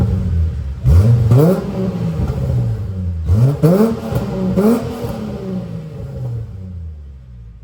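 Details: VY Commodore work wagon after new exhaust from extractors back: Redback 2.5" cat-back, centre muffler, rear resonator, twin 2.25" section with high-flow cats, outdoors in strong wind; catches, three clean blips, deep even note, no rattles: normal exhaust note.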